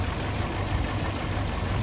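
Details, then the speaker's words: 1979 Land Rover Series 3 Lightweight, reconditioned 2.25 military engine, warm after a run: smooth steady idle with no top-end rattle, which appears only when cold. "As you can hear, it's idling nicely, not rattling now, but it is warm. Very nice willing engine on it actually."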